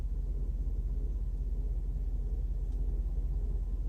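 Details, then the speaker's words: 1994 Mercedes S420, engine running: low steady pulsing hum about three beats per second from vacuum supply pump that keeps cycling instead of shutting off; some vacuum issue suspected, cause not confirmed. "the pump started cycling okay well before you pick this carut up I have to figure this out you don't want to burn your pump"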